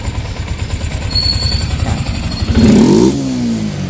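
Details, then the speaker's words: Yamaha Sniper 155, 39,289 km, after cams and cam bearing replacement: even idle beat and clean rev blip with no rattle or tapping; the cam bearing rattle is gone. "Yan, tahimik na siya. Try mo pa isa pa. tahimik na ulit. Wala na yung nakalakalantog."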